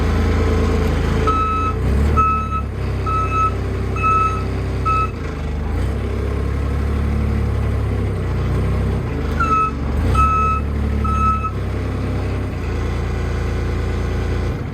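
Sharp high beeps in short runs of about two a second over a low diesel rumble; the reversing alarm is working normally.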